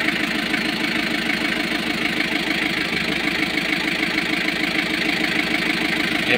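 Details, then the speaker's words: Kia KC2700 diesel after overhaul, previously hard starting: uneven lumpy idle with persistent misfire and hunting. "So meron pa din. Namamalya pa rin siya. Ayan oh. Humihinga-hinga pa din siya no."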